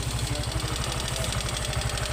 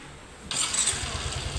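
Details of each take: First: Yamaha Mio Soul i125 scooter at idle before valve clearance adjustment, rocker arm noted as noisy; light fast ticking rides steadily over idle in time with engine; excessive valve clearance. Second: Yamaha Mio i125 scooter: engine catches quickly and settles into a quiet, even idle, no longer noisy, with no ticking from the top end.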